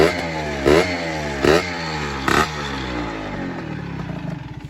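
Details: LS engine after a broken balancer bearing, with new distributor and replaced nuts: three quick throttle blips climb and fall back cleanly to a steady idle; revs freely with no misses or knocks.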